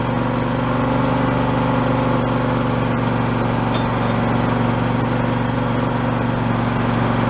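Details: Husqvarna YTH2454 mower, 24 hp Intek V-twin, after carburetor rebuild with a kit: steady even drone, constant low hum, no misses, knocks or surging; runs smoothly, declared fixed.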